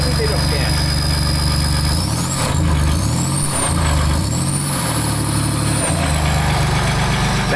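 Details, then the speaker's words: 2008 Land Rover Discovery 3 TDV6 under rebuild, running with no exhaust fitted: a loud, raw diesel clatter swells and falls through three light throttle blips, running cleanly but very loud. "That's how you would like to have it sounding, right? But that's without an exhaust."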